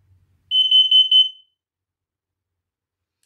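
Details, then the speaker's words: Carbon monoxide alarm test button pressed: four short, loud, high-pitched beeps then silence, the normal test pattern showing the alarm is working. "that's how we know that it's working"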